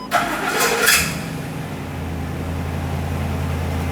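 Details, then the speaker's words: Ford E-350 Super Duty after fuel tank filler neck replacement, fuel pump relay reinstalled and system primed: brief cranking, engine catches cleanly and settles into smooth steady idle without stumbling or stalling; healthy start, next warm-up and leak check. "It might stumble, it might even start and then shut off and stall out. That's normal, but it could also just start and stay running. That's the goal."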